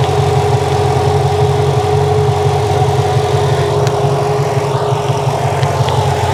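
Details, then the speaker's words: Mercedes E55 V8 idling: loud, rough, pulsing puff from an exhaust leak. "yeah it's idling nicely right now it's got an exhaust leak let's go take a listen here"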